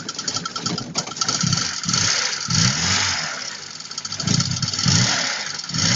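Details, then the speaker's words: VAZ 21102 running with a dull, repeating low knock under idle that pulses; the knock stops when the crankshaft belt is removed and persists after two water pumps, two alternators and a new fan were fitted, so it is belt-drive related. "стучит значит если снять ремень с коленвала то стук пропадает поменяли уже две помпы два генератора стук всё тот же"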